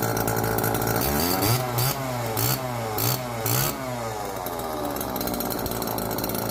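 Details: Old neglected Homelite chainsaw, previously seized and left outdoors, first run on fresh race-fuel mix without bar and chain: crisp two-stroke buzz revving in quick blips, picking up cleanly; running healthy.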